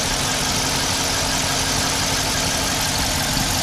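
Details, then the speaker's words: Car after full cylinder head rebuild and transmission pan upgrade: even, steady idle with a smooth hiss, no knocks or misses, no oil leaking; running perfectly, though suspension struts are worn and rattle. "everything's running perfect so that's my short little update for you guys"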